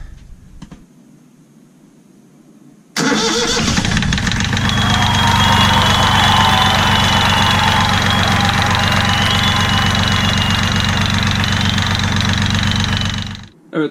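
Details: Sailboat engine just after fitting a new drive belt: quiet, then fires at once into a steady, even chug near four beats a second, no belt squeal; runs healthy.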